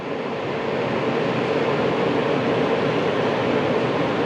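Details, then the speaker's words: Leapmotor C11 electric car: steady, even fan whoosh at constant speed with no ticking or rubbing after a blown fuse was replaced; cooling fan running normally. "так после установки этого предохранителя срабатывает вентилятор"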